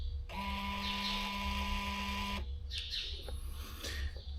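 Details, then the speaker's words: Salford BBI dry fertilizer spreader valve actuator powered directly from a 12 V Milwaukee battery, harness removed; short, clean two-second motor whir starting and stopping crisply, valve turns normally, ruling it out of the no-response fault. "So I'm going to just poke this thing, see if it turns. So you're going to switch it. Valve turns that direction, so now I should switch my polarity."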